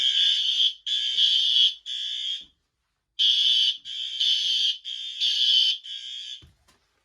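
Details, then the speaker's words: Fire alarm system in a shed, with the smoke detector triggered with a nail for the system test: a loud, shrill tone in bursts just under a second long with short gaps. The alarm works properly. "Alright, well, that's basically it. Everything works. I was just using a nail to test the smoke detector."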